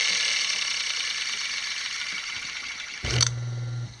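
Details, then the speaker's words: Old piano motor after a no-start repair, armature removed and reinstalled with the marks lined up, reassembled and powered: it starts instantly with a clean, steady low hum and runs smoothly with no stutter or arcing crackle. "now we have the motor reassembled got power to it and we're going to plug it in and see what we have instant start"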